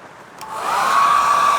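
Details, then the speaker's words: Secondhand dryer tested after cleaning its rear filter: spins up to a steady airy rush with a clean, even fan whine at one pitch; heats on two speeds, no rattle or scrape, runs normally. "Yeah, it sounds okay. And it heats up two speeds. Yep, that works fine."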